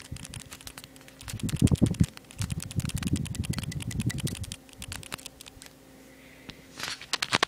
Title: Clicking noise when I shake my iPod touch 4g